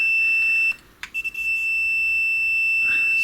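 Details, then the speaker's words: Numark Total Control DJ controller: continuity beep on cue/pause/play momentary switches cuts out and stutters when wiggled; all switches on both sides intermittent, fixed by replacing with 6x6x4.3mm momentary switches. "I've tested all the switches Q pause and play on both sides and they both they all seem to be a little bit intermittent to be honest"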